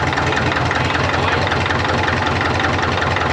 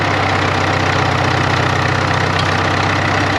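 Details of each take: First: 1939 Caterpillar D4 with D4400 diesel after final assembly, injectors being bled: uneven, lumpy idle at about 2.5 beats per second; number 1 injector suspected as cracking it barely changed pitch; rough idle, misfire. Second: 1939 Caterpillar D4 (RD4) crawler with D4400 diesel, first runs after rebuild with head being retorqued to 135: steady even diesel clatter at constant idle, no misses or surges; possible wet stacking, needs break-in; normal idle.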